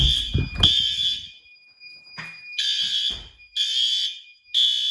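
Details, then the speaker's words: Monthly May fire alarm test triggered by activating a heat detector, door released as it should. Loud, harsh, high-pitched horn blasts about a second long with brief gaps, strong and clean; horn strobe working properly. "Horn strobe's good. The strobe in here is good."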